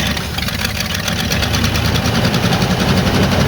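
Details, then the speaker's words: 1986 Ford F250 being revived, starting after a new starter and fuel poured in the bowls: steady, even idle with a low unbroken rumble and no misses or surging; sounded pretty good, normal idle. "Well, a win's a win, right? That sounded pretty good."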